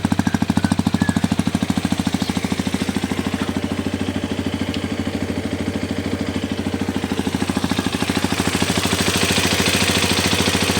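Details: New Hero XPulse 210 single-cylinder motorcycle at idle: steady idle with a sharp, even tapping on every beat, about three per second; engine knocking of unknown origin.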